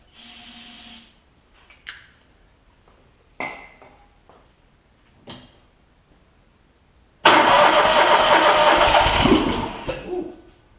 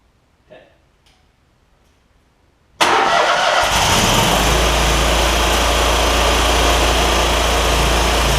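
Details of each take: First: John Deere ZTrak Z915E mower, Kohler V-twin, sat 2 years, before repair: short cranking bursts, then rough firing on carb spray that fades out; not getting gas, later found sticky carburettor solenoid blocking fuel. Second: John Deere ZTrak Z915E Kohler V-twin, sat 2 years, jump-started with carb spray: catches at once and settles to a steady, even idle; oak leaves hitting the cooling fan. Normal start and idle.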